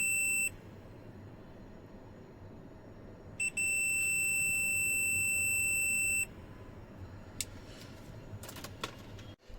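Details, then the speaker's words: Pioneer VSX-434 amplifier, dead: multimeter probes removed diode D429, steady high continuity tone, one short then one nearly three seconds; diode shorted, replaced with a new one. "जैसा कि आप देख सकते हैं, हमने दोनों diode को open किया है और इसमें से एक डायोड जो है D429 ये शॉर्ट है, हमने निकाल रखा है। यहाँ पर दिक्कत है इस डायोड के अंदर।"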